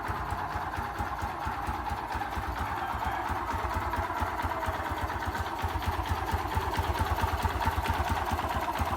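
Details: Honda XRM 125 (fuel-injected) single-cylinder idle: loose, somewhat uneven tapping on each beat; engine knock with source unknown.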